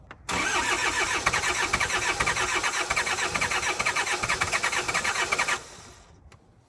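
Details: Diesel tractor that ran out of fuel, being bled with fuel now flowing through the lines, glow plugs used: starter whirs steadily about five seconds with no firing, then drops off; cranks but won't start.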